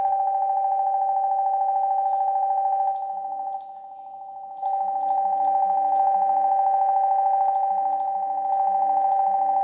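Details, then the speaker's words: Laptop speaker gives a steady, piercing electronic tone when volume is raised, caused by an enabled loopback recording input feeding output back in; fixed by disabling that setting. "jadi buat teman-teman yang mungkin mengalami masalah ini di mana Ketika anda membesarkan suara volume tetapi ada suara aneh yang muncul seperti yang saya sudah rekam sebelumnya"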